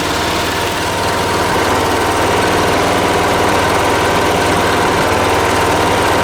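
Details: Late-1980s John Deere RX95 riding mower, after reconnecting the fuel line to the carb: steady, even note holding a constant speed with no misses or knocks; running smoothly.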